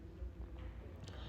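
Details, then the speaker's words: LG washing machine on spin after replacing the worn drain motor that caused a loud kat-kat knocking during spin: low, even drum rumble with no knocking or clatter. Normal, smooth spin after repair. "यहां पे जो कटकट की आवाज आ रही थी वह बिल्कुल भी नहीं आ रही है मतलब यहां पे ड्रेन मोटर चेंज करने से हमारा आवाज जो है वह बंद हो जाता है"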